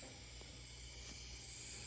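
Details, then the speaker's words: DesertAire indoor pool HVAC unit not cooling, 3 lb of refrigerant added, heard from inside the unit: a faint, steady high hiss over a low hum, refrigerant leaking at the pressure control, which needs a part ordered. "I'm literally standing inside here, hunching over because I could hear the leak. And it's at this pressure control."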